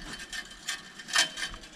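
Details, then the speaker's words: Bike wheel (converted from coaster to rim brake) left outside in rain at least 5 years, rusty; dry irregular crackling and gritty clicks as the wheel turns, bearings washed out, worn wheel bearing. "Knistern nur noch. War ein Toprad, aber das hat es jetzt hinter sich."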